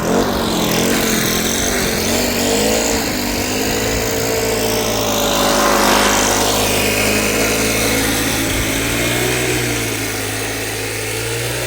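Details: Cheap Troy-Bilt backpack blower, two-stroke, after Seafoam treatment, started first pull, worn on back: steady high-pitched buzz with strong rush of air, revs holding even without surging or stumbling; normal running.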